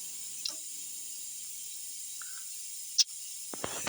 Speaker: but not only is the valve off but also the air is exhausted as you can hear from that little uh burst of air